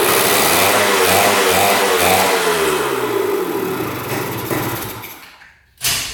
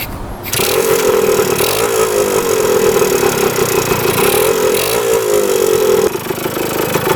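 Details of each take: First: 1977 Kawasaki KE100 two-stroke, first start in over 10 years after a carb clean and fresh fuel, with good compression and spark: an uneven splutter whose revs fade and die within seconds. It runs only on choke and won't idle; the air screw is adjusted next. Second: 1977 Kawasaki KE100 two-stroke enduro, revived after 10 years parked, float height reset, running without air filter: engine catches in half a second and settles into a steady, even buzzing idle with no top- or bottom-end knocking; healthy idle.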